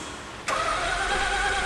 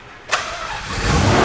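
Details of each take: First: Mazda Cosmo rotary, a rare JDM car, fresh plugs: steady even cranking for about three seconds, no firing. Has spark; no fuel getting in, clogged injectors suspected, brake-clean start test planned. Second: Mazda Cosmo rotary, a rare JDM car, after reconnecting a fuel line found off the fuel pump: brief starter whirr, catches at once, settles into rising steady buzzing idle, not very smoky.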